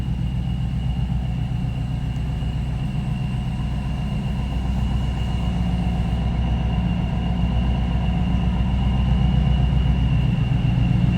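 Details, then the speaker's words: 1994 Pontiac Firebird Trans Am 25th Anniversary with a Vortec V-1 supercharged V8 and 17,604 actual miles: smooth, even idle rumble with a thin steady supercharger whine on top, a healthy idle. "Vortec V-1 making a little noise."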